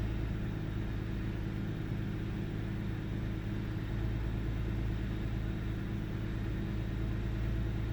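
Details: 1998 Ford Taurus SE OHV V6 at idle, hood open: steady low rumble with a slightly uneven pulse and faint stumbles. Intermittent misfire with mild rpm fluctuation; earlier swung 400-1000 rpm with no warning lights. Cause still being diagnosed.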